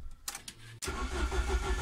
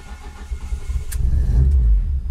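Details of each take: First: Ford ST170 with GSXR 750 throttle bodies and ME221 ECU, TPS-only, tuned for hot starting, at 88 degrees: short crank then prompt fire into a firm, evenly pulsing idle. Normal hot start. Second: Ford ST170 with GSXR 750 individual throttle bodies on ME221 ECU, start while tuning cranking maps: engine cranks and catches unevenly, stumbling and surging low before settling roughly; poor, reluctant start, starting map cause suspected, not confirmed.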